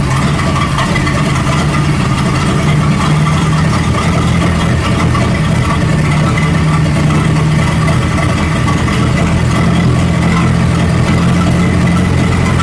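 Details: 1937 Buick Roadmaster with an apparently rebuilt Stromberg carburetor, after the idle screw and idle mixture screw were set: a smooth, even low idle rumble with no hunting or surging. It sounds much better but still needs fine tuning. Normal idle.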